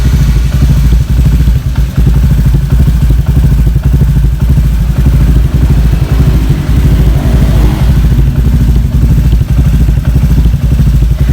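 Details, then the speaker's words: Honda Vario 150 new K59J with Juken 5+ ECU mapped to over-advanced ignition timing, idle screw turned up slightly: harsh rattly crankcase clatter on fast idle; they will return to stock timing; engine clatter from over-advanced ignition timing. "ngeri ya C agak ngeri di suara krukasnya udah kita kayaknya bakal balik lagi ke standar aja emang gak rekomen untuk timing kuda ini"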